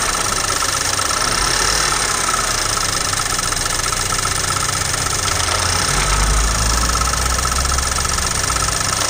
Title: Bmw n20 engine knock 2